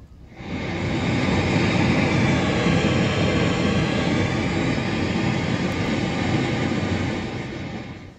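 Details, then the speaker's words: Panasonic SD-84 1970s radio-phonograph amplifier with FM/AM tuner: steady even hiss across the range, not motorboating, present on AM and FM; owner suspects two leaky transistors. "second it has an annoying sound and I want to troubleshoot it and as you can hear this his or motor not motorboating uh his sound"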